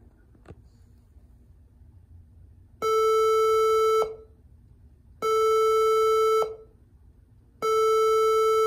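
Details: HP All-in-One at power-on: three long steady beeps in a repeating 3 long, 4 short code; underpowered adapter (likely 65 W), fixed by a 90 W power supply.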